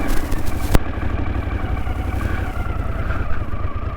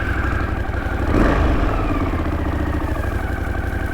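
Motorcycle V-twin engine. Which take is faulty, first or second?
first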